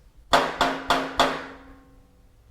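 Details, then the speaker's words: Honda VTX1800 with Vance & Hines Big Shots exhaust: tapping the pipes gives sharp taps with a tinny lingering metallic ring; heat shield missing retaining straps, rattling at certain RPM after a few hundred miles; fixed by clamping shields and tightening tips. "your exhaust heat shields because like mine, it is missing some of the straps that hold the exhaust shield onto the exhaust and it is causing a pretty annoying rattle noise."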